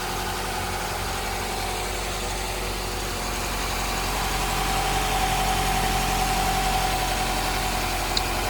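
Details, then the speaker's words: Cheap junkyard-saved Honda Integra (B-series), running with the alternator charging normally: low, quiet idle with even pulse about four per second, no ticks, knocks or smoke. Normal idle. "Hear how quiet that is? No smoking, no nothing weird."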